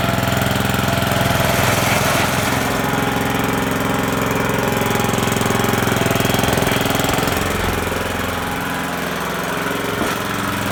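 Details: Toro GM1600 with drive engaged: loud rapid regular knocking, about three or four a second, over the small engine; cause unknown.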